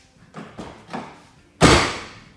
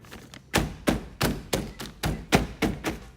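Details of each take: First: Knuckle taps and a hard knock on the door of a 1MZ-FE V6-swapped Toyota MR2 SW20 leave a loose, buzzy ring fading away: a rattle inside one door panel; the other door stays quiet. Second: Toyota MR2 SW20 with 1MZ-FE V6 swap: about eight firm knocks on the door after packing the rattling, loose corner inside the door with old gym mat. Each knock is a dull, solid thunk with no buzz or rattle, so the panel is now solid.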